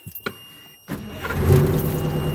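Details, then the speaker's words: Engine started right after the primary and secondary fuel filters were changed, with the fuel lines possibly drained. A couple of clicks, then it catches on the first try and settles into a steady low rumble; normal start. "okay fired right up see if uh well doesn't look like we're having any problems pretty sweet"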